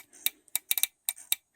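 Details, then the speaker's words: Fuel injector from a 2004 Saturn Ion 2.2, removed and bench-tested by jumping its contacts to a battery with alligator clips: sharp crisp ticks in short bursts each pulse, opening cleanly, working normally. "and you'll hear the injector click would you touch it"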